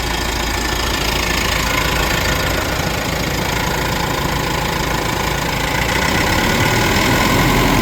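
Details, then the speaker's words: Mitsubishi Pajero Sport diesel during scan-tool small quantity (SQL) injector learning, with fuel pressure swinging up and down, bonnet open: steady idle clatter lifting slightly in tone and speed; normal idle variation during learning. "So here's in progress and you will hear the engine condition um changes."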